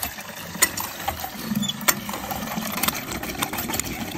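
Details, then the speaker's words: Hand-drilled DIY emergency water well, pump running after about 10 gallons drawn: uneven rattling clicks about once a second over a ragged pump drone as the water runs low; pump sucking air, silty water. "like we're getting low making a weird noise in there yeah I can hear it"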